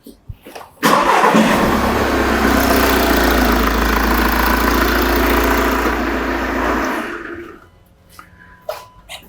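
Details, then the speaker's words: Diesel van engine, pressure transducer in the exhaust tailpipe for exhaust pulsation testing, cranks, catches quickly and settles into a steady, even idle before shutting off; normal start and idle with uniform pulsations. "Start the engine and we will capture the pulsations"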